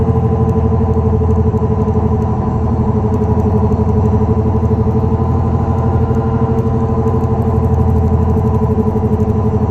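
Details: 2004 Dodge Neon SRT-4 while driving: steady low growling, humming drone from a bad wheel bearing; such grinding typically grows louder as the vehicle accelerates.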